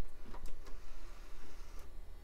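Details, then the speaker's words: Packard Bell Platinum 2240 (1990s tower), original CD drive on first test: tray slow to open, then a few dry ticks and clicks from the tired mechanism and no spin-up; owner thinks it's had it, later spins up, maybe after being knocked around. "sounds a little cranky in there and it did not spin up I think that thing's had it"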